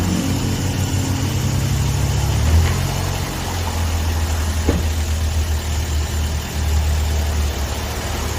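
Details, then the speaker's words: Toyota Vios 1NZ engine after replacing all four ignition wire sets (cut and crimped connections): steady, smooth idle with a brief rev, no stumble or misfire, where before it shook and could not hold idle. "ม.คจะเอาเสร็จเรียบร้อยแล้วนะครับนิ่งกิ๊บ"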